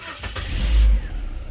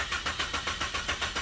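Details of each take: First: Chevrolet Optra that would not start (immobilizer issue) cranks briefly, catches cleanly and revs before settling after the immobilizer was cancelled, plug still connected; normal start. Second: Chevrolet Optra cranks without starting: starter turns over steadily but engine never catches; security light shows red with ignition on, immobilizer (immo box) fault blocks start, persisted after a prior garage visit.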